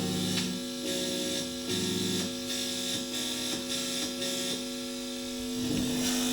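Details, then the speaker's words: Steady buzzy mains hum from a guitar amp, master fully up and volume at 2, that dips when the strings are touched, showing the ground connection is intact: amp hum that drops on touching strings. "แล้วถ้าผมจับมันก็จะจี่น้อยลงเห็นมจี่น้อย"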